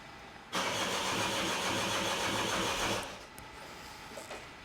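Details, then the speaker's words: 2018 Peugeot 3008 1.5 HDi diesel, crank-no-start with codes P050B and P0017. Cranks about 2.5 seconds with an uneven beat and never fires. High-pressure pump reaches pressure, rail pressure dissipates slowly; cause unknown. "I've monitored the high pressure fuel pump and it's getting up to pressure when you're cranking it, but this thing cranks funny."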